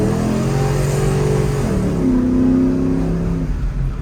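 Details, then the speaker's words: Cammed GMC truck V8 driving after new alternator install, pulling to about 4,000 rpm; deep note climbs smoothly, eases, pulls strongly again with no misses or knocks; voltage stays up, running cleanly under load. "yes sir we hit four rpms and that [ __ ] stayed on all right guys we're driving in seems like everything is all right"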